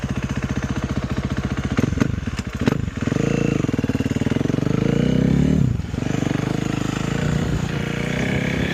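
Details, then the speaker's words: Warmed-up 2012 KTM 350 EXC-F four-stroke single after a test ride, restarted: starts well, idles evenly with crisp steady firing, quick blips rise and settle cleanly, no knock or rattle; sounds healthy. "So, it's warmed up now. We'll start it up again. To me, that starts up pretty good. Sounds pretty good. Can't really complain."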